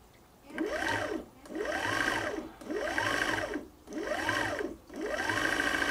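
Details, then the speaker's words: Sewing machine winding a bobbin after a messed-up wind: whirring bursts about once a second with the pitch swooping up and down; it is just the bobbin flopping around, harmless. "so hear the noise that is just the bobbin flopping around it's going to make a lot of noise nothing Horrible's happening"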